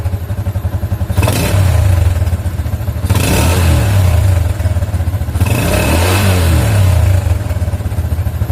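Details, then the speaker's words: Old Yamaha Jupiter MX with AIS disabled after leaking vacuum membrane caused exhaust backfire on deceleration: three revs up and down, each closing throttle returns cleanly to idle with no exhaust pops. "nah ini tidak ada lagi ledakan ya Di knalpot ketika gasnya kita turunkan ya"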